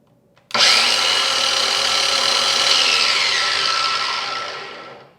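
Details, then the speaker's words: New battery-powered Ryobi flooring saw, trigger pulled with no load: a loud, high, steady motor whine that spins up fast, holds even and winds down smoothly. It is a healthy free-running saw, loud enough to need hearing protection. "All right, that's pretty loud, so I'm going to be wearing hearing protection the entire time I'm using it."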